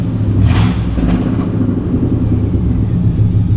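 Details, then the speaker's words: 2002 Chevy Silverado 2500HD, 6.0L LQ4 V8, 4L80E, 212,542 miles: loud, raspy, deep rough rumble when revved, from a gnarly exhaust leak. "Uh LQ4 under the hood with a gnarly exhaust leak."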